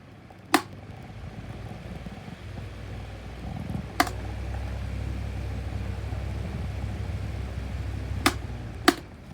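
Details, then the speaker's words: 2019 Schallen 12-inch desk fan starting up. Low motor hum building as it spins up, with scattered dry scratches and ticks on top; the bearings are worn out. "all right start up on this fella with bad bearings so here we go you can hear the scratch noises"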